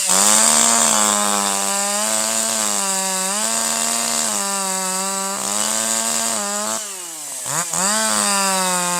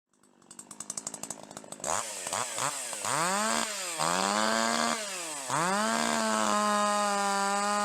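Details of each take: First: Older piston-ported chainsaw with the high-speed screw at 1.25: higher RPM and better power, slight four-stroking out of the cut, full smooth power in the cut, a brief dip then snapping back; excellent throttle response, correctly tuned high-speed mixture. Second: Older piston-ported two-stroke chainsaw without electronic control pops at idle, then at full throttle burbles and stutters (four-stroking, skipping firing beats) because the high-speed H-screw mixture is too rich.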